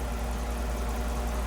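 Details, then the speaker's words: 3rd-gen Ram 5.7 Hemi V8 after fitting headers to fix an exhaust manifold leak, idling warm after 40–45 minutes: smooth, deep, even idle. The former clacking is gone; normal warm idle. "Pretty quiet, huh? Pretty fucking quiet, huh?"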